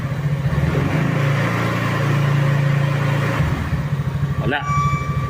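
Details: Easyride 150Fi scooter after fix: visor-area vibration cured with a simple tape trick; fairings and windshield refitted, low steady single-cylinder hum rising and falling with throttle, no buzz or rattle, vibration gone.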